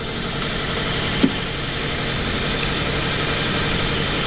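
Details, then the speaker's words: 2002 Toyota Altis that also overheats: idle with a shaky, uneven hum and excessive vibration right after start, despite four new spark plugs and a low battery. Ignition coil is being checked; a vacuum leak at the intake manifold is also suspected. "ba sobrang vibration yan yan naka-ol start yan dapat matining po ang andar niyan kaso sobrang palag niya mga sir yumayanig yan sobrang vibration"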